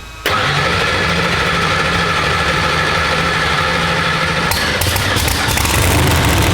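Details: Procharged Hemi Pro Mod race car first fire-up, primer held during cranking: engine catches at once and settles into a loud, steady, lumpy idle with a blip near the end; healthy first start.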